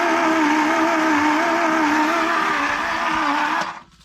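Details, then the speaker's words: 1978 Ford Courier engine, sitting 29 years and just unstuck, cranking on a charged battery in about 25°F cold: steady strained whirring that sags, well below normal cranking speed; turns freely, spitting out Marvel Mystery Oil, but too slow to fire. "this turn ain't fast enough to cranky though is it I don't know I mean it's free and it's spitting the Marvel Mystery all out"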